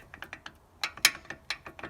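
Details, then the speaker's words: VW Golf Mk1 with G60 280mm front brakes: light, irregular metallic clicks and tinny rattles heard in traffic or at very slow speed. Suspected loose front brake pads shifting in the caliper, probably from missing pad clips or springs, not confirmed. "that's what i'm that's what i'm hearing when i'm driving well when i'm like sitting in traffic or like going a very slow speed i can hear it"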